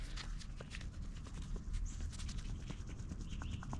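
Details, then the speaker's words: 1997 Ford F250 with 5.8L, upper ball joint just removed and rocked by hand: irregular dull clunks and clicks from play. The top joint moves around a lot and the lower is less bad. Worn ball joint, replaced with Moog parts. "I don't know if y'all can hear that the lower one wasn't bad as bad but the top one moving around pretty good"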